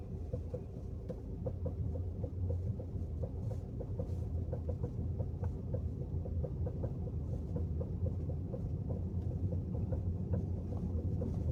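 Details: Peugeot rolling slowly in neutral, only on hot days, e.g. approaching a traffic light: quiet rolling with sharp light knocks about twice a second following road speed; source unknown.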